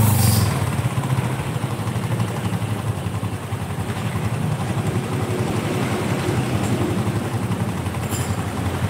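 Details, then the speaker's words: Honda Supra motorcycle after timing chain and bushing replacements, still rough at idle: uneven metallic clacking about four times a second, smooth only when the timing chain is pressed tight; chain rattle attributed to crankshaft play. "Nah, ketika dikembalikan ke mode normal, hasilnya kurang bagus. Klak klak."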